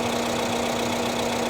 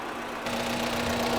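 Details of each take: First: 2017 Isuzu D-Max 3.0 L diesel after injector coding, previously running rough: even, steady idle with constant drone, no misses or uneven pulses, then revved; all cylinders balanced, normal idle after repair. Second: Isuzu D-Max diesel idling after a road test to get it up to temperature, with uneven, lumpy firing and a steady low drone, shaky rather than smooth; rough idle traced to a failing injector.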